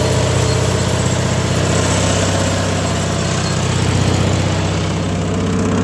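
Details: Harbor Freight Predator 670 22 hp twin swapped into a Bobcat skid steer in place of its roughly 32 hp diesel, test run with old exhaust smoking: steady, even idle with faint hydraulic hum, no stumbling or knocking; running properly.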